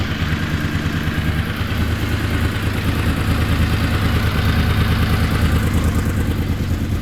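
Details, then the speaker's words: Honda VFR750 V4 after carb work with 40 jets, restarted once carb bowls filled: revs up and settles cleanly, note climbing quickly and evenly without stumble, picking up quicker; normal revving. "so let's try this again from start [Music] sounds like she's picking up quicker"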